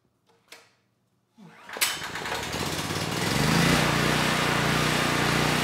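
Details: Honeywell 7500E generator bought for parts, after carburetor cleaning, stator possibly affected by axle welding, two lights loaded: a couple of pulls then catches and runs steady and even under light load; healthy, stator apparently undamaged.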